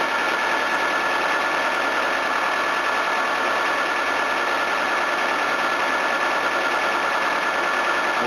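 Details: Engine idles with an even, steady hum and no misses, knocks or belt squeal; normal idle.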